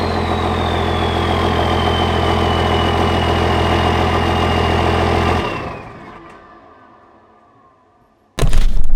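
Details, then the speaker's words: 24-valve Cummins diesel project truck, first run after rewiring and ground fixes: deep, steady idle with an even beat, no misses or knocks, then a clean shutdown; engine running healthy. "So the 24 valve is alive once again."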